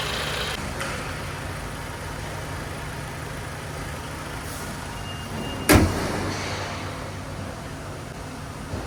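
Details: Toyota Camry with the 2AR-FE engine, in a case of front-of-engine noise traced to a faulty water pump: a quiet, even idle with a steady low hum, no knock, whine or rattle from the front, and one door thump midway. Normal idle.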